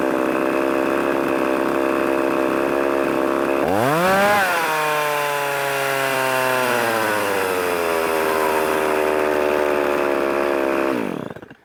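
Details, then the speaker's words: Revived Poulan 3300 chainsaw, now oiling, not hot, otherwise running good. It fires and flares up, then holds a fast, steady buzz instead of dropping to a low idle. Owner suspects the overtightened chain's extra pressure causes the high idle. "a hungry little booger I don't know why that high idle is like that um I don't know seems to be running good it's not hot"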